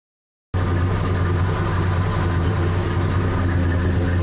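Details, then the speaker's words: Vehicle first start after exhaust/tailpipe welding: steady even low rumble at idle with no puffing, ticking or rasp; exhaust sounds sealed and healthy. "hope that sounds good for you guys sounds good here"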